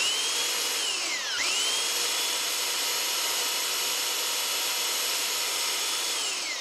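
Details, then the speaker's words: Flea-market Holtshair hand belt sander while adjusting belt tracking: high motor whine dips sharply, recovers, then winds down as the belt snags, stops everything and breaks; owner unsure if his fault, belt looked little used. "all right something happen to there the bill somehow got caught and stopped everything ah the belt broke maybe that's my fault"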